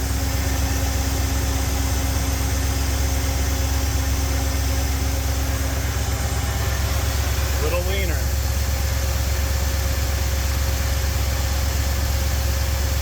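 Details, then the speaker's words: Ford 351 Windsor V8 in classic catering truck, idle mixture screws leaned while watching vacuum, about 18 inHg: steady, even idle with firm low rumble, idle RPM risen, no stumble; normal idle. "Idle RPM is significantly increased. Vacuum went up a little bit, so that's probably where we want to be."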